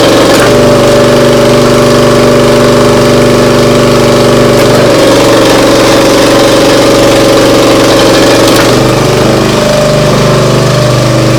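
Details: Briggs & Stratton CR950 208cc petrol engine on a Diamond 25-ton log splitter, after carburetor cleaning for a no-start following a couple of years unused: steady, even drone with no stumbling or surging, running smoothly.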